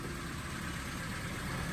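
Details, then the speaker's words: Vauxhall Astra, bought near-scrap, after exhaust-side repair with one bolt missing: quiet, even idle with smooth low hum, the earlier horrible exhausty rattle gone; engine sounds healthy. "If it makes that horrible kind of exhaustly rattling noise, then we have failed. Oh my god, it's not doing it."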